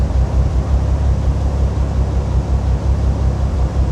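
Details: 2005 Bentley Continental GT, cold engine at a slightly high fast idle after a component was disconnected: a deep, uneven exhaust rumble with a lumpy beat of about three per second. The engine is still misfiring, with a camshaft position sensor fault among the codes.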